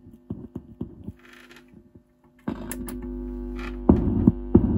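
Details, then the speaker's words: Torque Acoustics T100L guitar amp, circa 1989–early 90s, after removing a shorted capacitor: powered up with a pop from the speaker, then a steady low mains hum under and between plucked notes, but amp otherwise working. "Oh yeah, there's a hum. There's a pop from the speaker."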